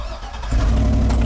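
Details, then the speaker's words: Auction truck, only one of four keys (two aftermarket) works, all crank: quiet, then the engine catches and settles into a steady, strong run with no misses or stumbles. "one key works three of them don't hey it runs we're done"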